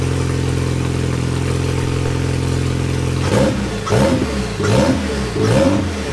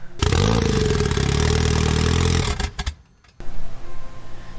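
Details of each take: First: Old Cobalt engine refitted in place of a blown LSJ-T after repair with salvaged parts: steady even idle then clean smooth throttle blips, no clatter or knock, strong oil pressure; boost not yet known. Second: Goblin fitted with a replacement LSJ engine, first start after reassembly: fires and runs loud and ragged for about 2.5 seconds, then dies abruptly; slipped cam timing suspected, and one camshaft was later found not turning.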